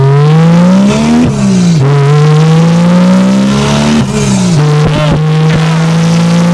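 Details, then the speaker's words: 2JZ-GE NA-T swapped MK3 Toyota Supra after spark plug gap corrected, about 10 lb boost, not to rev limiter: engine note climbs cleanly and evenly under boost with no stumbling; misfire fixed, pulling hard. "Oh my goodness. I'm not even revving it out to the rev limiter. Holy. And it's pulling hard."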